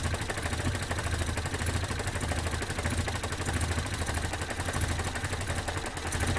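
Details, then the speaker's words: 1972 Datsun 510, L20B carbureted engine, after fixing a large vacuum leak at the carburetor base and setting idle: low, steady idle around 470 rpm with a faint even tick, no hunting or hissing; normal idle. "right now I'm just adjusting the idols through right now I'm at 470 and it's idling which is fantastic"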